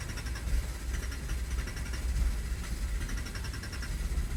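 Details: Skoda Fabia Mk1 petrol engine cranks steadily on the starter but never catches or fires; crank-no-start attributed to a bad fuel pump.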